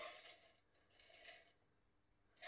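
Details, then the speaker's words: Claude & Lyons Regulac Type RK8-M variac with scorched windings, left outside, untested before restoration: turned up from zero volts, a quiet scratchy rasp swelling and fading as the knob turns, from the wiper plate rubbing the top of the aluminium housing. "it sounds a little bit rough because of the plate is actually rubbing on the top of the aluminium housing there but i can take that off"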